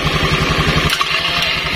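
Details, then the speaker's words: Honda Scoopy carburetted scooter with starter circuit wired direct bypassing the CDI, starter pressed with brake lever while engine running: quick rattling clatter under a second, then smooth; starter pinion clashing with spinning fan. "kita bisa dengar di sini ada suara suara benturan antara gigi pinion sama kipas rumah roller yang lagi berputar."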